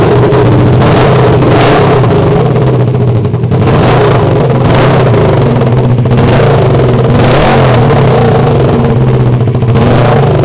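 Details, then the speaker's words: 2006 Kawasaki Ninja 250 engine running on its own outside the bike: loud steady rapid firing with some throttle surges, no odd knocks or rattles; starts and runs fine. "Okay, this is a 2006 Kawasaki Ninja 250 engine. I'm going to start it up."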